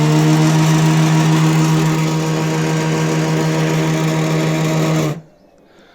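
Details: Small electric moped hub motor (about 1,000 km traveled) hums loudly with strong vibration and stalls instead of turning; phases appear intact, Hall sensors suspected as the failed part.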